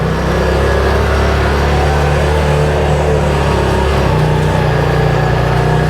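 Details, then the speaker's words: 2022 Odes 1000 Dominator LT after the surging fix (it used to surge at wide open throttle around 45): a steady, even low engine drone with no rise-and-fall surging. It runs smoothly, and the problem is considered solved. "All right. Sweet. Everything sounds good, feels good, looks good. So, you know what? I'm going to call this problem solved."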